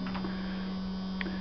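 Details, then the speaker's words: Workhorse 15ft aluminum cargo step van that won't start, on a jump box: a steady, unchanging low electrical buzz at one pitch with the engine off that keeps running the battery dead; cause not found, possibly a bad motor. "it keeps buzzing which runs the battery dead"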